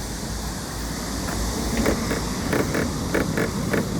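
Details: Kia K8 new-car inspection: pressing down on the top of the trunk lid gives paired creaking squeaks, a noise common to K8s that comparable K5 and other cars do not make.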